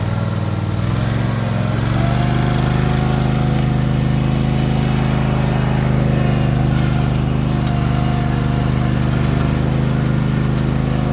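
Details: Husqvarna MZ5424S zero-turn mower after blade replacement, freshly refueled: the engine catches and settles into a steady, even mid-speed drone with no misses or knocks. The mower is running normally.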